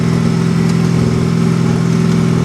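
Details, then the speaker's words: 1991 Plymouth Colt Vista with a 4G63 engine and 74K miles, bought as a non-runner, on its first start. There is a loud, deep, unmuffled drone at fast idle, and the exhaust leak is confirmed as a broken flex pipe. "obviously the exhaust is well it's not completely cut because we have exhaust coming out of the mufflers probably a broken flex pipe"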